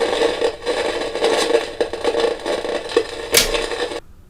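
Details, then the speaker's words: Kaiser tabletop radiogram (W1835/W1383) from the 50s–60s, powered on after electrostatic speaker repair with new diaphragm material: irregular harsh crackle and scratching over a faint hum, then a loud pop. The signal tracer still picks up crackle after capacitors are disconnected; cause unconfirmed. "I've got the tracer here and it's still making a noise."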